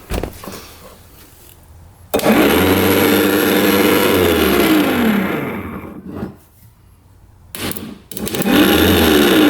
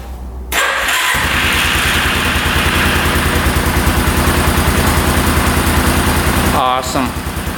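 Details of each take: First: 1989 Yamaha Big Bear 350 4x4 ATV, starter reassembled after cleaning: slow sagging whir dropping in pitch and fading; tapping it helps; weak starter motor, brushes not making good enough contact. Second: 1989 Yamaha Big Bear 350 4x4 ATV, after pushing out the spring on the other starter brush for better contact: brief whirring crank, then engine catches and settles into steady even idle; starter fixed, normal cranking and start.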